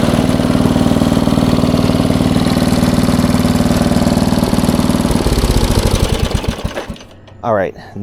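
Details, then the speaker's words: 1994 Troy-Bilt 34044 33-inch wide-cut walk-behind mulching mower, Briggs & Stratton engine, curbside find; runs with hard rapid clattering slap then dies as mistimed twin blades hit each other, likely after a previous owner changed blades; blades must be timed perfectly. "blades obviously are not correct they hit each other on the way around so that's probably why they put it to the curb"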